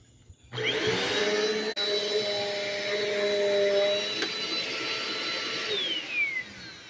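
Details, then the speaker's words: Black & Decker BDLCE101 small vacuum after belt replacement with the pre-filter refitted: the motor spins up to a clean, steady whine and winds down smoothly, with strong suction and normal running. "Well, I would say this little bad boy has got more vacuum power than that big giant Eureka over there."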